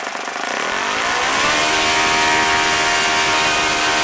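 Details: OS FS-40 Surpass four-stroke model engine, first run after bearing replacement and full teardown, new Enya #3 glow plug, 11x6 prop: rough at first, then settles into steady high-pitched buzz; runs well once warm with decent idle.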